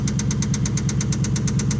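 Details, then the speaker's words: 2004 Nissan Titan at idle after an attempted fix that failed: a hard, even knock repeats about eight times a second over the engine drone, a deep internal engine knock. "This is my Jeep. Trying to get this to work. He's hoping he's really hoping that this worked. It did not fix it."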